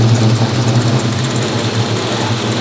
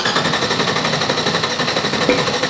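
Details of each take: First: G-body 6.0L LS V8 with RHS LS3 heads and race cam; coils, spark, fuel, air, grounds and tune already checked: lumpy, irregular idle, rough idle. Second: G-body drag car with salvaged 6.0L LS V8, RHS LS3 heads, aggressive cam, FAST 103mm intake and 102mm throttle body, 150cc injectors, 3-inch headers, 2.5-inch exhaust with two mufflers, first start: loud, hard, uneven lope, normal choppy cam idle.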